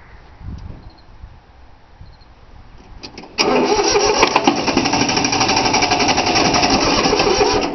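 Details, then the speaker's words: 3-cylinder Yanmar diesel cold start after repeated glow plug heating: quiet, then steady rhythmic cranking about four pulses a second that never catches; fuel lines weren't bled, so air keeps it from firing, though it usually starts right up. "That old Yamaha seems like she ain't gonna start. I don't know what's happening with it."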